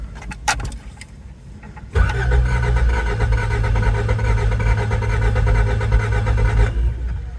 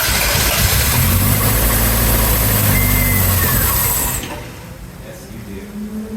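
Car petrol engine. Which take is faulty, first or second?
first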